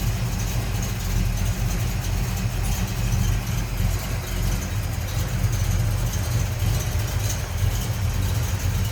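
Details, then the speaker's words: 1974 Dodge Dart Sublime coupe, 360 Mopar V8 with filter headers, Mopar intake and carb, idling warm hood-up: steady, slightly uneven low rumble with a loping pulse from a mild cam; sounds healthy. "Sounds like we got a little cam to"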